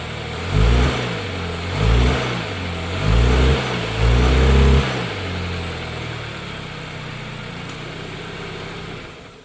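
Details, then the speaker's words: 2013 Dodge Dart after replacing the collapsed passenger-side engine mount with a cheap roughly $50 aftermarket mount: four short revs from idle rise and fall smoothly with no clunk or thump, then a steady, even idle; new mount sounds good. "so this Mount sounds great we're going to find out how long it's going to hold up"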